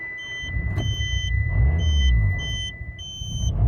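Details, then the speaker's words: Mitsubishi Lancer, probably 1.6, petrol with LPG runs rough and uneven, won't hold idle and must be held on the throttle, reportedly running on one cylinder and stalling; cylinder 1 misfire. "wolnych obrotów nie trzyma trzeba go trzymać na gdzieś tam na gazie"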